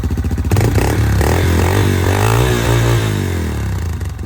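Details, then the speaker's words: Yamaha TTR-230 single-cylinder dirtbike after carburetor removal and cleaning, started without choke: revs up cleanly and drops back smoothly with no stumbles or misfires; runs better than ever. "Maybe it doesn't need the choke. Didn't need the choke. Jeez, that sounds really good."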